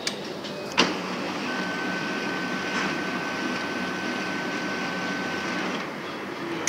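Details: HP LaserJet Pro 400 printer switched back on with paper stacked behind the rollers: a click, steady motor whir with thin high tone for about five seconds, another click, then stop; paper jam.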